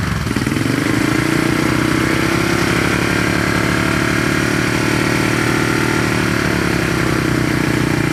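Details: 1970 Honda SL350 twin at normal idle on first start, fuel poured down plug holes and carb leaking gas; steady putter settles into an even idle after catching, running smoothly with no knocks or misfires.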